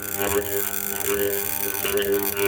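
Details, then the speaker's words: 2011 Makita HR2811F SDS hammer drill armature on 220 V 50 Hz test: loud steady mains-rate buzz with rattling as a metal rod chatters on the armature; shorted armature winding, fixed by replacing armature. "And the reason it makes that noise and causes this stick to vibrate, this metal rod, is because of the frequency."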